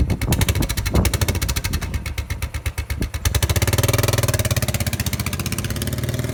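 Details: Royal Enfield Bullet 500 EFI fitted with a Hitchcocks high-level trials exhaust 91100 and a homemade air box reduction panel. Deep, even single-cylinder thump climbs smoothly with throttle and settles back steady, no knocks or misses. Normal idle and rev.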